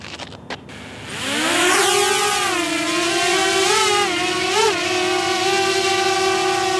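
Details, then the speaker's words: DJI Mavic Air drone on stock propellers: after clicks, spins up into a loud, piercing, high-pitched bee-like buzz while hovering and punching up, wavering as it maneuvers; the high pitch makes it more annoying. "I think the biggest issue on the Mavic Air is it's such a high-pitched noise that makes it more annoying."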